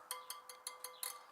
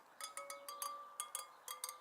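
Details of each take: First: Suzuki DR650 wheel spokes checked by tapping after tightening without a torque wrench, following a new tire fitted for headshake at 70 mph: quick light taps, about five a second, each ringing with a clear ping; tension uncertain. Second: Suzuki DR650 wheel spokes checked after fitting a new tire to cure a headshake wobble at 70 mph; crisp, clear pings, each spoke ringing at the same bright pitch with no dull thuds, evenly and properly tensioned.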